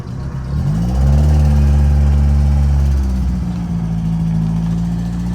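Engine catches, blips once, then settles to a steady, even idle with a smooth low note and no misses; healthy running.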